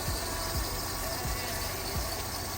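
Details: 2019 Dodge Durango with Pentastar engine, check-engine light flashing and engine temperature problems: idle stumbles with a soft low thump about twice a second over a steady hum; cylinder 2 misfire.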